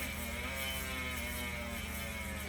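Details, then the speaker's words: Chris King ISO mountain bike rear hub ("Angry Bee"), vertical sawtooth-profile clutch driver, coasting: even, fast buzzsaw drone with no catches or skips; very little coasting drag; normal freehub buzz. "So it has its typical buzzsaw sounds, a vertical sawtooth profile clutch mechanism, and although it does have a lot of noise, and that noise gets louder as the lube starts to break down inside the"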